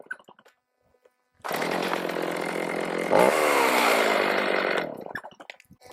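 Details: Stihl MS310 chainsaw after a no-start repair needing no parts, carb adjusted: crisp high two-stroke scream revving cleanly and holding steady without bogging or sputtering; running properly, cutting likely limited by dull chain and high rakers.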